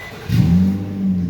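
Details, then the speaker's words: 2013 Nissan Pathfinder with a non-charging alternator, cranked and started: a deep, uneven rumble with a raspy puff underneath from a loud exhaust leak, with the battery light on at startup. "I'm just going to warn you guys right now, this thing has a pretty loud exhaust leak."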